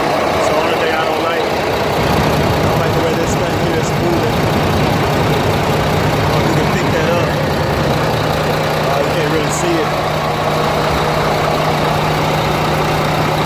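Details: International diesel truck after compound turbo change and exhaust pipe fix: steady, even idle with a low constant hum and no misses or knocks; running smooth with no leaks.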